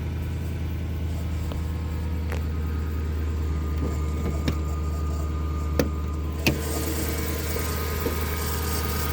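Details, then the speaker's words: Lexus LS400 at cold morning start: faint steady whine rising as the steering is turned, with lack of assist; the power steering pump is failing. "you can hear the pump whining in the morning and it's just pretty obvious to me that the pump is not gonna last a whole lot longer"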